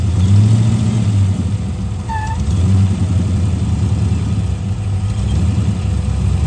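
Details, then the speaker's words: Chrysler VG Valiant Regal hardtop, parked about 2 years, idling with oil pressure: lumpy idle with a brief high-pitched chirp about two seconds in; intermittent vacuum leak squeal from a brittle little rubber hose. "I've had this car parked for like 2 years, and it was this pathetic little rubber hose. So obviously it's actually starting to go brittle, right?"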